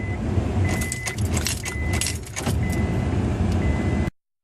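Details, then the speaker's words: 2000 Honda Accord, battery 12.44 V, tried with booster pack and after cleaning corroded terminals: key turned, chime beeps about once a second, but no starter click or cranking. Starter suspected. "After cleaning the battery and the terminals, try again. At this point, I think it's the starter."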